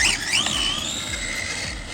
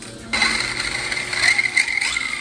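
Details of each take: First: CEN Racing Puma 1 brushless RC rally car with a plastic spur gear, driving. A high, thin squeal rises and falls with motor speed, so the drivetrain is squeaky; the owner suspects the gear mesh is a little tight, not confirmed. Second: CEN Racing Puma rally RC car after reseating a pinion gear that popped out and refitting the spur gear; motor spools up and down with clean whine, no grinding or skipping; gear mesh neither too tight nor too loose.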